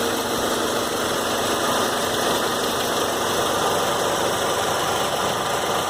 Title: Warm Saab 93 2.0t clicking sound at 3000 rpm